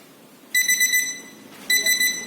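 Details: Nokta Makro Pulse Dive metal detector switched on by a long press of the power button: two crisp, high beep bursts about a second apart, clean and steady. A normal power-on tone; it must not be powered on near metal, which would calibrate that metal as ground.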